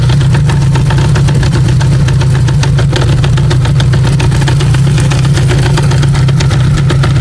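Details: Honda CB550K idling with a busy irregular metallic rattle and ticking over the engine drone; owner unsure whether primary chain, cam chain or crank bearing is the source.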